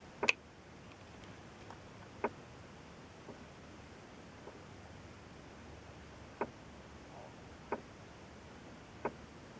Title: 2004 lesabre tapping noise from dashboard